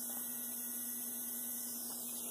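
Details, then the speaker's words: Athearn Blue Box SD40-2 motor, cleaned and tuned, running at full speed on bench (15.5 V): even high-pitched hum with fine hiss, louder than the untouched motor; stall current lowered to under about 1.3 A, normal. "Now we're going to listen to the one I cleaned up. Okay, it's louder."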